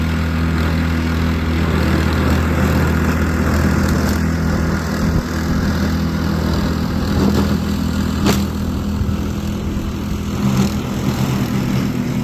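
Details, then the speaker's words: Snowblower after the carburetor repair that fixed its choke-only running, driven over grass: the small engine holds a steady, even drone under load without surging or dying; normal running. "well apart from ripping up my grass I'd say she works pretty great yeah"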